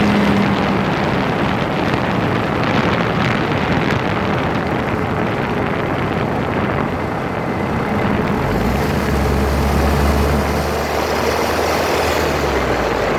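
Constant coarse grinding roar under driving noise that holds with road speed, pointing to a grinding front differential.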